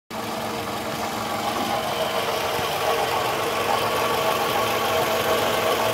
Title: Toyota Camry 02-05 Under Hood Sound !! Is This a normal sound